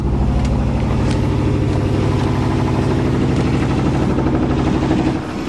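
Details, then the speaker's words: 1987 Chevrolet truck run after adding about 8 L of gas, no air cleaner, not yet warmed up; lumpy uneven loping idle with stumbles, motor shaking; misfiring, cause not yet found. "sounds like it's misfiring yeah it's definitely misfiring way that motor shaking"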